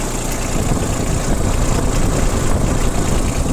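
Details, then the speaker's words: Yanmar Ke-60 four-wheel-drive three-cylinder diesel tractor with semi-automatic gearbox, at idle: an even, low diesel chug with no misses or knocks and no visible exhaust smoke. Runs smoothly and sounds healthy. "Работает ровно, никаких там выхлопных газов и так далее не видно и нет."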